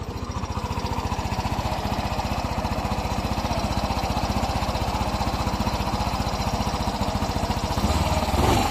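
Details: Yamaha Mio i 125 idling, problem began a few weeks earlier: quick even ticking about four per second, seemingly from the cylinder head; con rod or rocker arm also considered before teardown.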